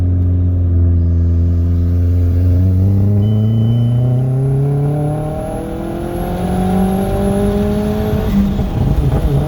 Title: b5 a4 1.8t ko4, custom tune, with some misfiring.